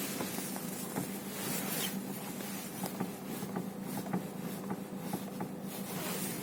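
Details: Renault Megane 3, stationary with the steering wheel being turned: irregular sharp knocks about once a second over a low hum; a steering-side clunk of unknown cause.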